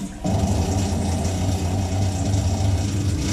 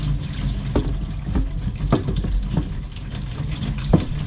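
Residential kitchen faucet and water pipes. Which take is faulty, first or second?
first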